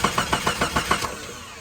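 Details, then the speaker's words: Jeep Grand Cherokee project that doesn't run: starter cranks evenly about seven beats a second for one second, then stops without firing; fuel pressure gauge shows no pressure, fuel pump suspected dead; crank, no start. "nothing huh nothing at all we didn't get any fuel pressure from the fuel gauge leading us to assume the fuel pump is not working"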